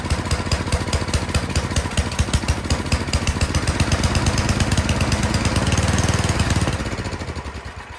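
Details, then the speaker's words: Toro Power Shift 824 snowblower, single-cylinder, after new spark plug, choked and primed: chugs with uneven firing pulses, sags off at the end, only runs on full choke; carburetor suspected dirty. "Okay, we got it to start. That's good. It will only run on full choke though. So that tells me something's going on with the carburetor."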